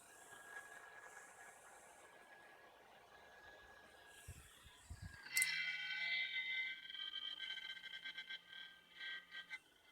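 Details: MSI GE60 laptop used three years: after a quiet stretch the failing cooling fan kicks in with a rough, rattling buzz over a low steady hum; the fan was later replaced.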